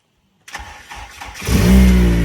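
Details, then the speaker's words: Honda K-series engine swapped into a Civic, first start with exhaust leak fixed and back box fitted: starter cranks about a second, petrol engine catches into a smooth, deep, still loud idle. "That's better. That's what we like. That sounds a bit smoother, doesn't it? Still quite loud."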